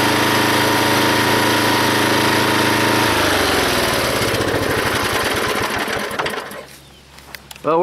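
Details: Log splitter engine after fitting a spring-tensioned idler arm to the belt drive: steady drone that drops in pitch and labours while splitting a log, then recovers, no belt squeal; hardly any pulley or belt slipping now.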